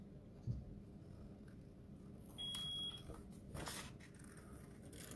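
A single high-pitched beep of about half a second sounds over a quiet room; the smoke alarm is chirping when it shouldn't.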